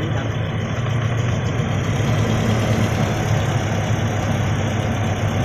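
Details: Toyota Kijang Innova idling with engine shaking and sputtering: low, uneven idle with slight stumble and shake, misfire-like; cause not yet confirmed, spark plugs to be checked and replaced next.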